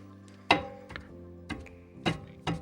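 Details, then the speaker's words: Mazda CX-5 under warranty, knocking after a caliper repair, rear right wheel raised: sharp separate metallic knocks about every half second as the hub is worked. The caliper body is hitting a loose pad, not the guides; a fix is to spring or glue the pad. "Стучит у нас. То есть направляющие здесь вообще ни при чём моё мнение. Стук идёт, корпус суппорта бьёт обколодку."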